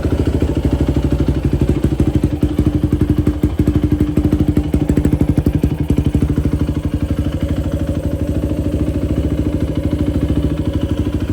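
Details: 2004 Yamaha YFZ450 quad after sitting, carburetor cleaned for a clogged pilot jet and new ignition fitted, on a freshly hooked-up battery: crisp, evenly spaced single-cylinder pops at steady idle, no misses or knocking; fan kicks on, not overheating. Normal idle.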